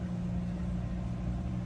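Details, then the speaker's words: 2008 Subaru Legacy towed in as no crank, no start, running after the new battery's terminal was loosened, reseated and secured: engine fires right up and settles into a steady, even low hum with no misses or knocks; healthy idle. "All right, I got the battery all secure and connected properly. So, let's see if this thing cranks. Fired right up."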